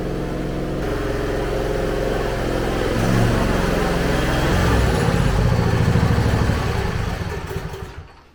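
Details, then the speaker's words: John Deere zero-turn mower: small engine speed swells and sags over a few seconds at idle while the governor linkage oscillates. Owner suspects a gas cap vent problem; later fixed after carburetor cleaning, exact cause unsure. ">> This thing is idle hunting. Um from what I read, it could be a few things. Um it could be something as simple as the gas vent."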